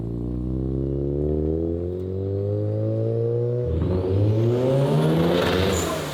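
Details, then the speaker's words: Rotary engine with a new turbo on stock parts, first full-throttle pull, closed loop adding 20% fuel, outside air about 60-65°F: a smooth rising note turns rough and crackly with a rising whistle as boost builds very fast; running super lean. "I'm gonna leave that in the video because that was going super lean. I have never seen a turbo build air that quickly."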